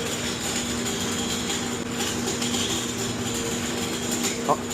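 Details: Brooklyn building boiler room full of soot, broken fan: fast, dry ratchet-like clicking over a steady hum and a high whistle. The sail switch was found tied back; the cause is suspected, not confirmed.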